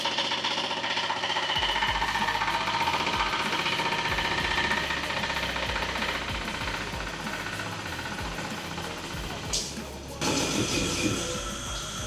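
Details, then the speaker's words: Fusheng HTA-100 air compressor starting with zero tank pressure: loud, fast hammering knock about four beats a second from the pump head, quieting once pressure reaches about 0.5–1 bar; valves and check valve already replaced without fix, cause not pinned down. "เวลาเปิดเครื่องแล้วเนี่ยเครื่องมันสตาร์ทเสียงดังนะครับมันมีแรงดันขึ้นมาได้ซักประมาณ0.55บาร์หรือ1บาร์นะครับมันก็ทำให้เสียงตัวชุดหัวปั๊มเนี่ยเงียบลงนะครับ"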